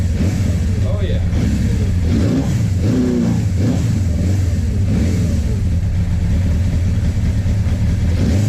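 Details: Suzuki GS850 motorcycle after valve adjustment, fed from a small fuel container: uneven rev rises and drops with a lumpy, unsteady beat; ticking gone but runs rough, owner suspects carburetor issues.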